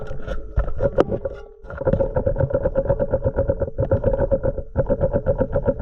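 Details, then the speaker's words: Boat starboard propeller shaft shaken by hand underwater after cleaning; owner reported vibration: rapid loose knocking rattle about four knocks a second in bursts, play in shaft or bearing, suspected bad cutlass bearing, not confirmed. "got some Shake in your starboard proper like I said we're gonna go back down there give it a good Shake again and hopefully you could hear the rattling while I'm under water"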